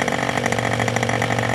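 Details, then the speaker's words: Old Austrian HP 61 two-stroke nitro RC airplane engine at full throttle: shrill steady buzz with no sagging, popping or misfire; high end runs cleanly, not tach-checked. "at this point i'm pretty happy with the high end i didn't check it with the tack but all in all i thought it sounded pretty good"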